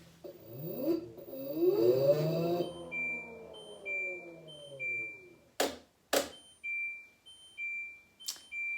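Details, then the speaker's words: LG washing machine with LE error after drum spins only slightly for about three minutes; owner suspects a damaged rotor, reset failed: falling chime then short high beeps about twice a second with all lights flashing; LE error alarm. "there you have it you've got that error message and all these lights on here"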